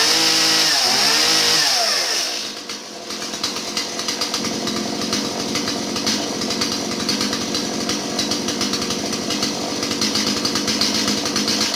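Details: Stihl 017 chainsaw that bogged down, after retrofitting an adjustable non-EPA carburetor in place of the non-adjustable EPA carb: it catches, then settles into a smooth, even high-pitched buzz with no bogging, running healthy.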